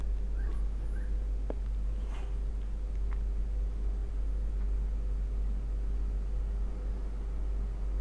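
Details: Ceiling fan after opening, cleaning and lubricating with WD-40 to cure noisy running (suspected dirty or damaged bearing): even, steady low hum with no scraping, ticking or wobble; fan now turns smoothly and quietly.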